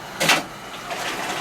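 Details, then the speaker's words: Jandy JXi pool heater startup with variable-speed pump: one sharp click as the bypass valve moves out of the way so water flows through the heater, pump speed rising, then soft rushing hiss of water flow; normal. "There was a little click where the valve, the bypass valve, moved out of the way,"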